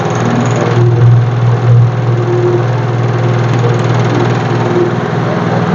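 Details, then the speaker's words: Electric fan running with a fast, steady clacking rattle over its low hum; holding the grille locking clip stops it, so the cause is a loosely seated front grille. "เมื่อเพื่อๆพี่เปิดพัดลมแล้วมันดังแก๊กๆๆๆๆๆอย่างเงี้ยให้เอามือจับเนี่ยตงที่ล็อคตะแกรงพัดลมก่อนนะครับ"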